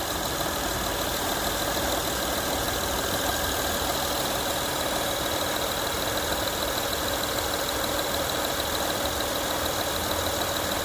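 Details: Honda Accord 3.0L after replacing a whining power steering pump (previously a used replacement that whined, especially at startup): smooth, steady idle with an even hum and no whine or groan. Power steering sounds healthy.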